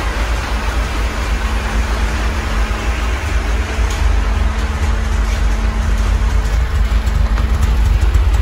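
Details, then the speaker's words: Chery Tiggo on natural gas (GNV) after throttle-body cleaning with WD-40 for an idle problem: a low, even idle hum with no surging or hunting; much smoother and no longer stalls, though a clutch seal fault still hurts it. "tá bom espero que vocês tenham conseguindo ouvir aí ó motor do carro tá muito mais certinho"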